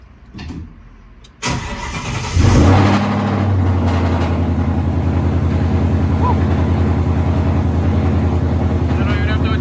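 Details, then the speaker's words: Car with a new fuel filter and lines, pressure set to about 58 psi, fitted while the fuel filter or pump was suspected: brief crank, then a steady even idle; pump whisper quiet, no whine or misfire. "just so loud right now you can't this thing is whisper quiet to put my ear up it up against it just to hear it"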